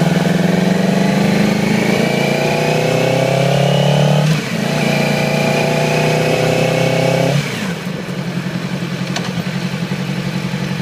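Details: 2008 Yamaha R6: uneven, stumbling idle with choppy beat and dropped firing pulses; appeared overnight, little power at low RPM, sluggish at high RPM and freeway speeds. Cylinder misfire traced to faulty ignition coil; replacing it immediately restored normal running.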